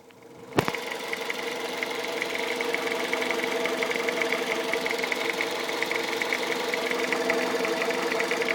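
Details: 2001 Toyota Avensis 1.8 VVT-i with the 1ZZ-FE engine: a light, quick metallic ticking over a smooth idle, keeping time with the engine. It sounds like a top-end tick; the source is unidentified.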